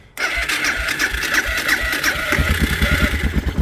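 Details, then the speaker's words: Suzuki DR650 single started after winter with choke pulled, following a replaced fuse and battery: starter churns briefly, catches around two and a half seconds and settles into a steady, even thump; clean start. "ah yes as you can hear sounds [Music] like starting up but she's going so success"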